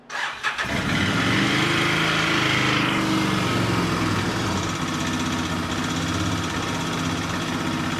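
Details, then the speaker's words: 2006 Outlander 800 ATV after replacing the fuel pump to fix a no-run: cranks, catches quickly and settles into a steady idle with no misfire; owner finds it loud and clanky but unsure if normal; normal running. "So, she's running good. So, the pump was the issue."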